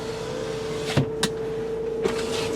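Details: 2001 Nissan Altima GLE sedan, 144,914 miles: power window run all the way down and up, steady mid-pitched motor hum with soft clicks at the stops; window motor working normally.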